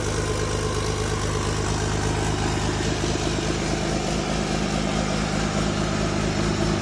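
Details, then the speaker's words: First startup of a freshly mounted Cummins inline-six diesel in an F450 truck: even, deep diesel clatter at steady idle, no misses or knocks; starts quickly, peppy, running smooth and healthy. "got the first fire up on the Cummins last night, mounted in the truck, and it sounds really, really good. It's really peppy, starts up really quick. It sounds like a beast."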